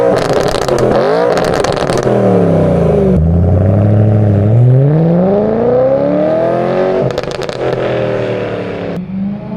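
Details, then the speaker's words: 2011 BMW E90 M3 S65 V8 with muffler delete, cats still in, rattle gone, before the catless x-pipe install: several clean revs where the deep exhaust note climbs and falls smoothly with no tinny buzz. Normal revving. "All right, so we're gonna rev the car right now so you can hear how it sounds without the rattle."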